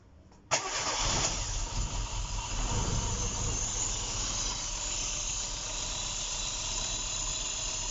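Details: Engine after timing correction, with many vacuum leaks found (non-start condition, shop-built engine), on first start: cranks briefly, catches cleanly and settles into a steady, even idle with no knocks or misses; normal start and idle.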